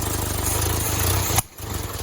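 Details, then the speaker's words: 1972 Fiat 850 Spider running after the mechanical fuel pump was made to work: engine chugs, then a sharp backfire pop and the revs sag; owner suspects the carburetor or distributor. "Well, after a few tries and a whole lot of backfires, I think I got the fuel pump running and it seems to be doing its thing."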